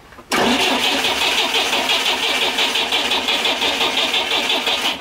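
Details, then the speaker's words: GAZ Volga M24 (Soviet, revived after years stored) cranks steadily without firing; a loose hose clamp was ruled out and the fuel smells good, so the mechanical fuel pump seems not to draw fuel, its gasket in poor condition. "Donc non, la panne ça venait pas du collier pas serré. L'essence pu pas trop, elle doit être bonne. Non mais oui, la bonne essence. Ça y est, il est rien du tout. Donc on dirait bien que notre pompe à essence mécanique n'aspire pas."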